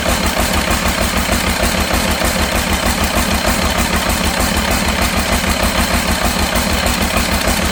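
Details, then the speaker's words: Cummins diesel in a C40 truck after swapping the number 6 injector: idles with a lumpy, uneven beat of about three pulses a second and a rough shake; still misfiring, cause unknown. "Well, unfortunately, I have worked all day tirelessly and made absolutely no progress other than I've got the smoke to quit, but it just don't run right for some reason."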